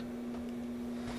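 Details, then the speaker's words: Inexpensive ceiling fan newly installed in a bathroom gives a steady low hum at one even pitch over a quiet room; motor hum blamed on cheap construction. "I'm kind of disappointed in this ceiling fan to a certain extent because it's making that humming noise"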